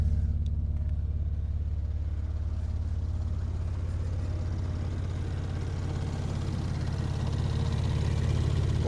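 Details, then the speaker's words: Mercedes C300 at an auction yard, idling after being shifted in place; undercarriage damage and flood exposure suspected. Steady, deep idle drone, very loud though quieting slightly; loud exhaust at idle, likely from a leak. "but that is so loud that exhaust it's kind of quieted down a little bit now"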